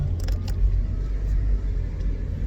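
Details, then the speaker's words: 2001 Lexus IS300 brake test after installing new pads to replace loud old ones: only low road rumble as car slows, no squeal, scrape or grind; absolutely no squeak, brakes sound normal. "absolutely no squeak completely take the [ __ ] down there's no squeak whatsoever on these brakes what do you think yeah no squeak whatsoever like these brakes are good"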